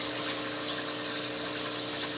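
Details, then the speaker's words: New 220-gallon aquarium, about an hour after start-up: constant waterfall-like splashing rush from air drawn through drilled siphon-break hole on return pipes; fix planned by cutting pipes about ½ inch lower into water. "The noise you hear in the background is coming off my return pipes. I never could stand those return lines that have the what do you call it, the siphon break, that drilled hole at the top."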